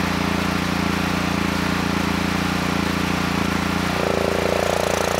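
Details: Honeywell HW5500 5500 W generator, 337cc engine, original carburetor, air box cover off, running only when choked. Hunts with an uneven beat that changes tone partway, lean then rich; vacuum leak at the warped carburetor insulator.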